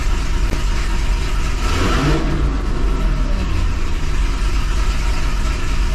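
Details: 2005 Chevy Corvette V8, first fire after a C7 starter, heat shield and Kooks 2-inch headers were installed; catches and rises in a clean rev, then settles to a deep, even burble with no knocks or misses; normal.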